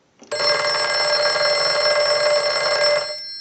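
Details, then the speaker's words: Northern Electric 302 rotary desk telephone after repair and rewiring, ring cycle sent from analyzer: bright, even bell ring about three seconds, steady clang, no buzz or rattle; ringer works properly. "so now what we want to do is we want to use the analyzer and we want to send a ring cycle so we'll start a ring cycle"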